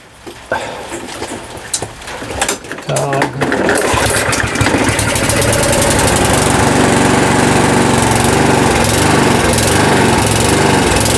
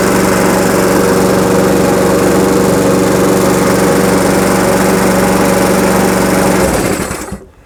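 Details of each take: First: Lawnmower after priming and pull-start runs erratically, speed drifting fast and slow instead of holding steady; engine hunting, suspected from too little fuel or too little air. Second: Lawnmower that was running poorly, after repair that ended with a new carburettor: even steady buzz at constant speed with no surging or hunting, then a clean shutdown; it runs smoothly.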